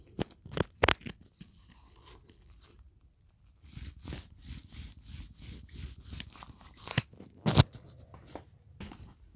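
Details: 2017 Mini Cooper Countryman F60 All4 worn rear wheel bearing turned by hand with microphone held against it, dry gritty crunch in uneven pulses; the better, left rear of two failing bearings, no play, causing drivetrain rumble.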